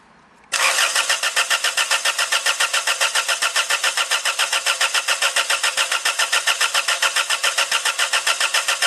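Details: Toyota Tarago/Previa/Estima with coil lead disconnected for a cold start injector test, multimeter on the injector plug: steady starter cranking at about 214 beats a minute for nine seconds with no firing; ignition disabled.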